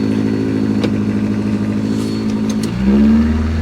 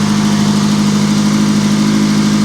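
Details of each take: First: Auction vehicle: the engine is held at a steady rev, then blipped and settled, with a rough exhaust note that is a little on the loud side. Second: Auction vehicle: a steady, even low hum with no misses, knocks or ticks; it burns a little oil (suspected valve seals or guides from sitting) and shows 15 volts (probably a failed regulator), but runs like a top.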